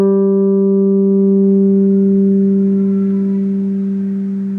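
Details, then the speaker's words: Orange Crush 35RT amp with new replacement speaker (PT-SPKR-CR35-4), recorded on the camcorder's onboard mic: clean guitar note rings and fades with no buzz or rattle, unlike the old speaker's buzzing; normal. "now I've already plugged in and I've already played through it I don't hear the noise but I'm gonna play for the camera"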